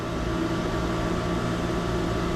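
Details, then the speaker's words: Jockey pump beside an old diesel fire pump building sprinkler system pressure toward its 180 psi cutoff: even, steady motor hum with low drone, no knocks or rattles; running normally. "It fills this system up to 180 pounds. So as soon as that gets to 180, well, that jockey pump will stop."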